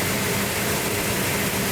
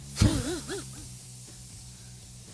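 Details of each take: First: '72 Duster 340 V8 twin build, first start from cold with the choke held and ignition advanced: a strong, even rumble at fast idle with no misses, knocks or ticks. The engine runs healthy. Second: 72 Duster 340 V8 rebuild on its first start attempt, cold, distributor timing not yet set: the starter spins the engine at a steady beat but it never fires because the fuel system is still dry.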